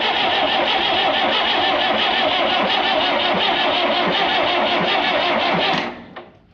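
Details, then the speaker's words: Diesel engine being cranked with injector lines loosened to bleed air: even starter whir with steady compression beats, about three a second, no firing; normal cranking. "We're smoking. That's the starter. That's normal."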